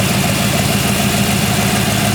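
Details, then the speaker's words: 1940 Ford Tudor with a rebuilt Turbo 350 automatic and new 2200-stall torque converter, after a carburettor float adjustment, idles smoothly and evenly with no knocks, misses or slips; it shifts well. "it runs great shifts amazing John your torque converter is great"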